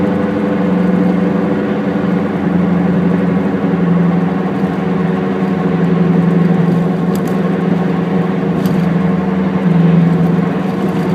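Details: Steady low droning "go-go-go" rumble while driving, a pulsing hum that swells with road speed and is clearest when decelerating; worn hub (wheel) bearing.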